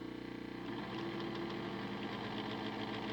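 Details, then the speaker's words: Model-railway locomotive motor on homemade decoder tester, about 25–50% throttle drawing half to over one amp: rough buzzing whine with crackly edge and rapid rattle, about 200 a minute; suspected arcing inside cooked motor, likely frying decoders. "arcing inside so I'm guessing that the motors cooked and that's probably why it's frying the decoders"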